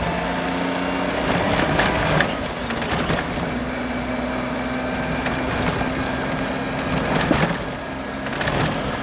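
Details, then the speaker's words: Suzuki Jimny JA22 driving at 20–60 km/h: thin irregular squeaky metallic scraping, not proportional to engine speed, masked by tire noise above 60 km/h; noise later recurred after repair, cause still uncertain. "The noise occurs at speeds between 20 and 60 km/h."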